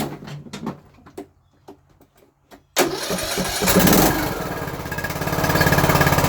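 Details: Craftsman LT3000/YTS3000 riding mower said to have a rod knock, owner suspects valves need adjusting; after work, a few handling clicks, then it fires straight up and settles into an even, steady beat with no knock; normal start and idle.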